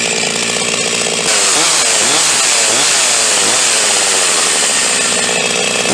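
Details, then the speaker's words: Huztl G366 chainsaw (Stihl MS361 clone), warm, which had been dying out of cuts and idling poorly: it fires and revs cleanly to a high steady buzz once the tank cap is opened. A plugged fuel tank vent is suspected. "okay now all we're gonna do is just simply turn it on and go ahead and start it after we pop that fuel kit"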